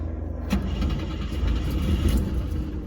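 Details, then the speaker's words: 1964 Volvo 122S Amazon wagon, B20 engine with M40 gearbox and twin SU HS6 carbs, first start after over 2 years stored; air cleaners off, starting fluid down each throat. Heavy cranking catches and half-runs about 2 seconds, making oil pressure, then stumbles. "because it went ahead and made compression, or not compression, went ahead and made oil pressure in all of about 2 seconds of half running."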